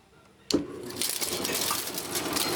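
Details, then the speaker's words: Old Fedders Airtemp 5100 BTU window air conditioner with Rotorex compressor, unused since last year: sharp clank at switch-on, then steady airy rush with loose chattering as the rear condenser fan rattles badly. "the back fan was that the condenser fan rattles all the hell"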